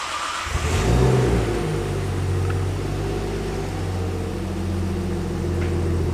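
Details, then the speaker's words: Nissan S13 after relaying the fuel pump on a temporary 30 A fuse, with the pump priming harder: the engine catches quickly and settles into a steady, deep, even idle with no misses or knocks; starts and runs fine. "Well, it fired up, so that's a good start, I guess."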